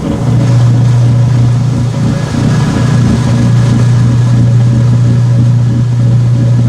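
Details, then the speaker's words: Washer neutral drain after a towel wash, sump bucket purging: loud, steady low hum at one even pitch, no rattles or surging; normal drain pump sound. "There's your neutral drain sound."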